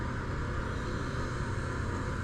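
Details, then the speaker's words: Farmhouse well pump, flow throttled so it stops slurping air: constant even hum with no slurping, surging or cutting out; running steadily and healthy. "Yeah, I mean, she's humming pretty good."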